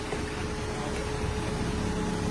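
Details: Ford Fiesta project car, now running after repairs: low, even hum with faint steady tone, no rattle or knocking; engine idles quietly and sounds healthy, clearly better than before.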